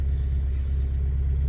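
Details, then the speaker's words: BMW E30 M40B18 turbo project on standalone ECU, first start, cold with warm-up and after-start enrichment active, fuel pump priming three seconds: steady, even low rumble at fast cold idle, no knocks or misses; healthy. "start the car you can hear fuel pump working for 3 seconds its still warm up enrichment, and after start enrichment"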